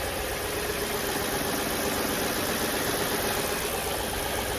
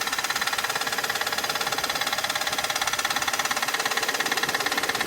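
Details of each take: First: Crash-damaged Audi D2 S8 V8, first start in about a year: quiet, smooth, even idle after silicone spray on the crank pulley, which had been rubbing (shiny stripe) and made noise even with the belt off; pulley seating to be checked. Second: Audi D2 S8 V8 at idle on first start in about a year after a 2020 crash: steady rhythmic scraping tick about 3.5 per second, crank pulley rubbing against something; engine otherwise okay, pulley seating to be checked.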